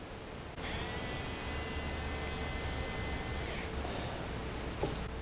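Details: Nerf blaster flywheel motor on a test battery pack: spins up to a steady, high, clean whine for about three seconds, then stops. A Rhino motor showing normal bearing sound, compared with rough-bearing motors.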